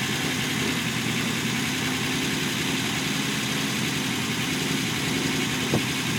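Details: Unimog 404 first start-up after rebuild with new fuse boards and a rewire: steady, even idle with a low rumble and no knocks, misses or rattles; normal idle.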